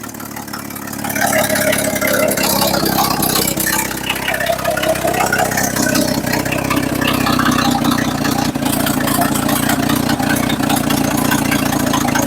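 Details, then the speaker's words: 1960s Chevy C10 bought sight unseen; steady even idle holding on its own after a brief rise, loud and raspy from a holed exhaust, but engine runs smoothly. "all right she is idoling on her own now still a little loud cuz well it's pretty much with cheese exhaust"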